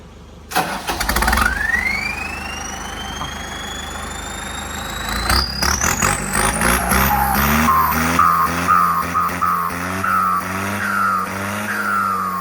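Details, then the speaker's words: Isuzu MU-7 diesel with upgraded big performance turbo: long whistle climbing sharply in pitch as the engine revs and falling away as it settles; sweet, long, aggressive spool, turbo working normally. "ฟังเสียงนะครับผมmu57นะครับโบวใหญ่โขงซิ่งพิเศษนะครับผมเสียงหวานหอนยาวๆดุดันนะครับ"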